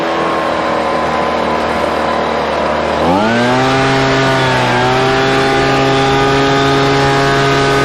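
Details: Husqvarna 125BV two-stroke leaf blower after new carburetor and filter fixed a blocked carb fuel passage, run at about 24°F with mixtures richened slightly: idles low then picks up cleanly to a steady high whine, no hunting; runs great.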